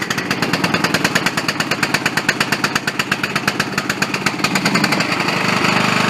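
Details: Bolens riding lawn mower that wouldn't start, after replacing the bad solenoid: rapid even chuffing beat from the single-cylinder engine, about three pulses a second, starts and runs steadily and normally.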